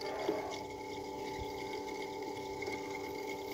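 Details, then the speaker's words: Water pump motor powered on: a weak steady electrical hum as it buzzes but won't turn, spinning only very weakly. This points to a burnt winding that needs rewinding. "di sini ada ciri-ciri pompa air yang sudah terbakar saya kasih tanda Solasi dulu biar teman-teman melihat saat putarannya berdengung tapi tidak berputar"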